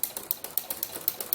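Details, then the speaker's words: Inspire ruffler foot on a sewing machine, set to gather every six stitches with a 5 mm stitch: crisp, even ratchet clicks about eight a second, steady and light; the ruffler clicking wheel is indexing normally. "that's the difference in the noise because in fact clicking wheel that's usually a speech every 666 pitches"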